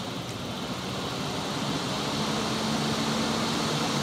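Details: BMW E30 auxiliary cooling fan running on low speed, powered by jumpering the car-side wiring directly and bypassing the temperature switch, which is suspected bad; smooth even whoosh with a faint steady hum that builds slightly and holds, so the fan itself works fine.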